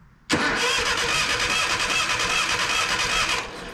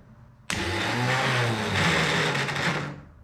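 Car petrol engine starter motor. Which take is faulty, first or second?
second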